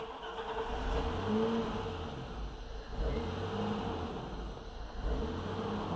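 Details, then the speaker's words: Car on newly installed Megasquirt ECU, with intake air temperature sensor dangling and idle air control in place: quiet idle rises and sags every couple of seconds, still hunting and dying out; needs more work. "A little bit of a hunting still [Music] yeah still dies out so it's going to need some more work here"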